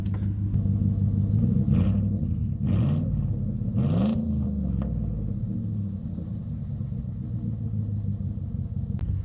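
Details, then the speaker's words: 1976 Ford crew cab Dentside truck, about 120,000-plus miles, started on a jumper pack, good oil pressure, exhaust broken in half: it catches, gives a short quick rev and settles back to a steady, even idle; sounds healthy. "sounds good awesome awesome awesome awesome give a little quick Rev"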